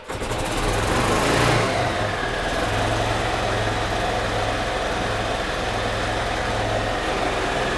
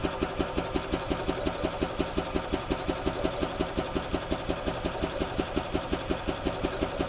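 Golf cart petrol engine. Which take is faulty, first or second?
first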